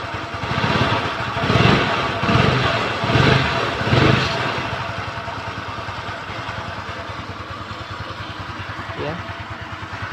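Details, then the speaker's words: Kymco Easy scooter after the earlier krek-krek idle noise near the CVT was fixed: idles evenly with a few light throttle blips, no clicking or rattle, CVT belt drive smooth and quiet; normal idle. "Hai normal sekali specnya tidak ada suaranya aneh-aneh CVT nya sangat normal halus adem berada suara yang aneh"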